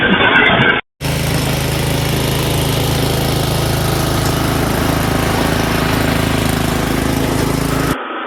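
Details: Snowblower single-cylinder engine, winterized with fuel shut off and stabilized gas, fires on first pull after sitting 4 years in a shed; smooth, steady full-throttle drone off choke, no surging or missing; normal running.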